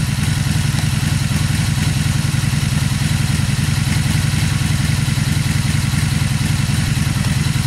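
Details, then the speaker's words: Warm 2002 Honda Magna V4 idling in neutral without choke after carburetor rebuild and cleaning, first time running again; steady, even low burble with no knocks or misses, sounds healthy. Normal idle. "let's go ahead and start it up and hear this baby purr don't eat no choke this is already warm up neutral neutral [Music] it sounds pretty good"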